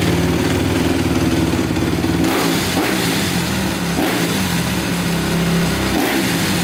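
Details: 2010 Honda CRF250R after valve shimming. Fast, even single-cylinder beat holding a steady idle with no misses. Normal idle, though the bike is still a bit hard to start.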